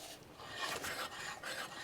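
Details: BMW E63 M6 with S85 V10, 121k miles, arrived on a recovery truck: wheel turned by hand gives a slow dry scraping rasp that rises and fades with each turn; brake disc rubbing on the pad or shield.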